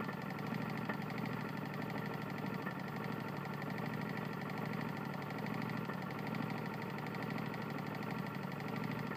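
Fast, hard knocking runs through the small engine's buzz at running speed, the telltale of a worn connecting rod.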